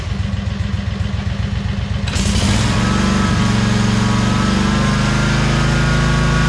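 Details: 2003 Wright Stander, 23 hp Kawasaki V-twin, after the wrongly hooked-up setup was corrected and adjusted: a lumpy low idle picks up sharply at about two seconds into a smooth, steady run with no hunting. The engine now runs as it should.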